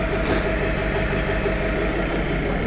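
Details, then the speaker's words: Summit on a cold start after a no-start, now cranking in neutral (shifter position sensor needed adjusting, not the immobilizer); steady cold idle with faintly uneven low throb and light ticking, "sounds like a sewing machine"; owner says it always misfires a bit when cold. "i think it's misfiring a bit it always does it on a cold start"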